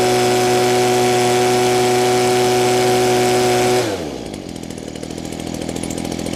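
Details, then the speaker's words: Old Echo two-stroke with primer bulb, first run with no parts changed or tuning done: crisp, steady high-pitched buzz at full throttle, then a clean drop in pitch; runs amazing, though could perhaps run slightly leaner for more top-end speed. "That thing runs amazing. I think it could probably run a little bit leaner, which would give me a little more speed at top end."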